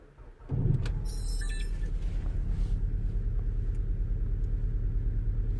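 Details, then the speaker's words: 2010 VW Golf GTI cold start idle, uneven loping rumble with irregular pulses, misfiring more noticeable when cold; engine light flashing, sometimes EPC light, running poorly, trouble codes stored. "it's definitely misfiring you can you can't probably hear it I'll show you obviously this is the cold start so it's a little bit more it is a little bit more noticeable but it's definitely misfiring"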